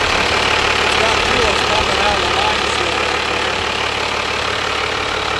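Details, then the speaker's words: 1997 Dodge Cummins 12-valve diesel, manual, no coolant: rapid rhythmic ticking near three per second over idle clatter, suspected fan out of balance touching something; started well, 40 psi oil, 14 V, idles about 750 rpm. "ah sounds like the fans touching something it's way out of balance it's definitely hit something"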